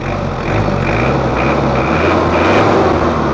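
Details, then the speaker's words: Diesel after an engine rebuild (nozzles and cylinder head not serviced), complaints of rough sound, heavy smoke, high fuel use: lumpy idle at about four pulses a second, too rough; pump setting and small timing need adjusting. "ini adalah suara mesinnya kalau menurut saya sih enak tapi masih agak terlalu kasar suaranya terlalu agak kasar sedikit menurut saya"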